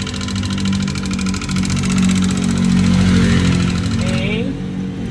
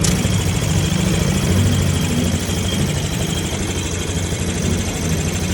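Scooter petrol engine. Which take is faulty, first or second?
first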